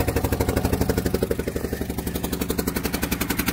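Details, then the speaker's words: 12-valve Cummins cold start after sitting a long time, idling: quick regular puffing tick about four a second from an exhaust leak near the back side of the head, possibly a cracked or busted spot. "As y'all can hear it. It does have an exhaust leak, but where the exhaust leak is, it's right around the area on the back side of the head"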